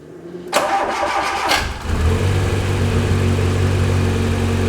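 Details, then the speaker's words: Rebuilt Fiat Uno Turbo being checked for overheating (suspected airlock, fan switch or head gasket): about a second of cranking, then an even, steady idle with no tappet tapping; a clean, healthy start. "just start nice this sounds lovely it's been built nice"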